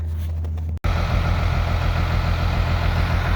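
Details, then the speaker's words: 12-valve Cummins diesel, automatic, in a 1949 Chevy cab-over truck, started after a couple of hours warming in a heated shop (the battery had failed on the cold attempt): the engine catches and settles into an even, deep, healthy diesel idle. "well after a couple hours in the heated shop she stirred up"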